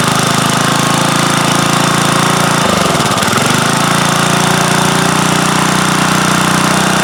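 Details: Roto-tiller single-cylinder engine with new aftermarket carburetor after years sitting, primed with starting fluid, air cleaner off: loud busy chatter dips briefly, then picks back up and holds an even pace; running properly.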